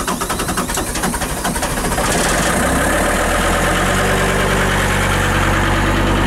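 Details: John Deere 326D skid loader started first thing on a cold morning: brief cranking, it catches within two seconds and settles into a steady, even diesel idle with no knock or miss. Normal cold start and idle.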